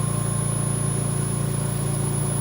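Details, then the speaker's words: VMUS-DG1 ozone generator (double quartz corona cell, MAX-5 oxygen concentrator) being stepped down from 100% toward 10% output: even, low electrical hum with steady pulse and no crackle. The pitch changes with ozone output, and this is normal. "you continue to hear that change in the buzzing noise that happens as the amount of ozone that is being produced increases and decreases."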